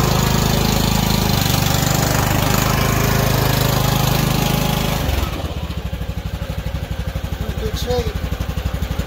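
Small single-cylinder engine runs loud and steady, then drops to an even, regular idle putt around two per second; runs normally.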